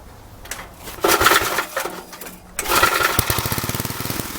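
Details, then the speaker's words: Old Troy-Bilt Horse tiller engine after new carburetor, valve cleaning and new plug: coughs to life with ragged uneven firing and sharp pops at idle; still popping and backfiring, owner suspects ignition or cam timing, unconfirmed. "It's still popping and backfiring, but it is idling, so the carburetor did make an improvement."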